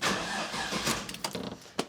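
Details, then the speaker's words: 1986 Pontiac Trans Am LT swap with battery relocated to the rear: brief starter crank whose speed sags partway through; owner suspects the added circuit breaker or a poor ground in the zero-gauge cable run, unconfirmed. "it never used to do that um I think it has something to do with the battery location I'm not sure what though I think it's either the circuit breaker I added or the ground is shitty"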